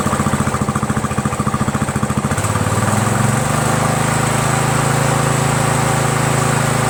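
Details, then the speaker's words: Troy-Bilt lawn tractor, 17.5 hp Briggs overhead-valve single-cylinder, after carburetor swap with fuel solenoid valve removed: chugs evenly, shifts smoothly to a higher steady speed and holds it with no misses; the deck still vibrates slightly with the PTO engaged. "I cut the valve this thing runs great now man I think I feel pretty good about it that I can sell it"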